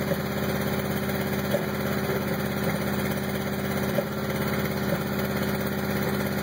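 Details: 1986 CRX at idle: uneven idle with irregular thumps and stumbles breaking the beat about every second; cause not clear. Rough idle.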